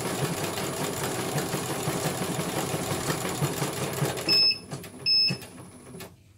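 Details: CNY computer embroidery machine after repair of a broken cable that had left its motor dead: quick, light, steady needle ticking, then two short beeps as it stops at the end of a colour; normal stitching.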